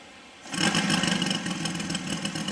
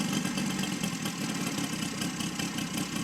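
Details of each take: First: Saito FG60 R3 radial model engine on first break-in run, needles set per manual, deliberately very rich; starts easily, catches quickly and settles into a fast, slightly blubbery run typical of the rich break-in mixture. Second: Saito FG60 R3 radial after break-in and leaning out per manual: steady, even buzzing idle at about 1200 rpm with no stumbles or surging; could go lower; normal idle.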